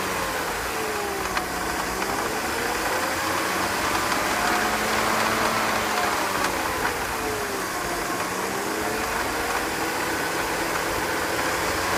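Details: BMW 323ci at idle with loose, uneven rattle about two knocks a second following revs; caused by loose power steering pump pulley bolts, fixed by tightening them.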